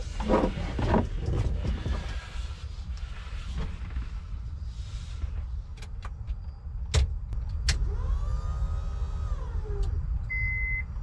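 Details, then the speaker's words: 1997–2001 Honda Prelude with H22A swap, newly replaced fuel pump at key-on: a brief electric whine that rises, holds about two seconds, then cuts off. Healthy fuel pump priming. "There you go, you can hear the pump whining."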